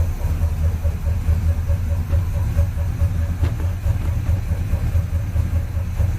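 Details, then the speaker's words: Exhaust heard from the tailpipes after DIY repair of a warped header collector leak: steady low burble, even pulse, no ticking or puffing; sealed and healthy, though running rich with timing and carb not yet adjusted. "it sounds better from back here or fail quad that's what it sounds like pipes don't come all the way back it'll sound a little bit better then"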